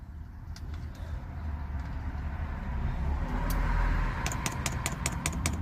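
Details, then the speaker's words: Diesel heater dosing pump in an LDV Convoy van clicking with sharp, evenly spaced ticks while priming over a low van rumble; air bubbles coming through, pump working normally. "all right that's going don't know if you can hear the pump clicking all right it's coming through bit of air bubbles [Music] coming right pump's working"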